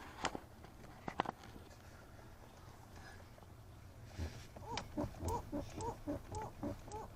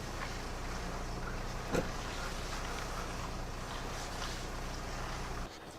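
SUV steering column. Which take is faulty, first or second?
first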